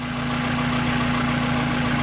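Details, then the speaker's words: 1994 Mazda MX-5 Miata, low-mile car that sat a long time: even idle with a faint steady whirring bearing noise that the owner suspects is the timing belt tensioner; water pump due for replacement, lifters sound good. "can hear a bit of a bearing noise and that's like pretty sure it's a timing tenser it's not anything major"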